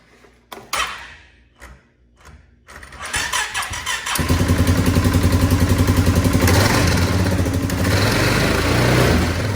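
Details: Polaris Sportsman 570 ATV, almost 6,000 miles, running with clutch cover off and out of gear: rough rhythmic clatter from the CVT clutch area (secondary new, about 500 miles); cause not found, spring and bolts look fine.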